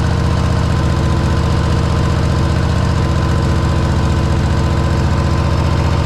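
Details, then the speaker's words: Harley-Davidson Road Glide V-twin idling right after installing a one-piece Man O-War compensator replacing the clunky stock compensator; shifts easily into neutral, loping even beat about two and a half pulses a second, no clunks or rattles; healthy normal idle. "All right, sounds good."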